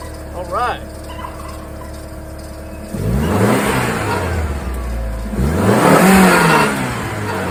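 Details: VW New Beetle Turbo after replacing the crank sensor to fix a no-start: short crank, fires, revs up and settles into a steady run; the new crank sensor fixed it.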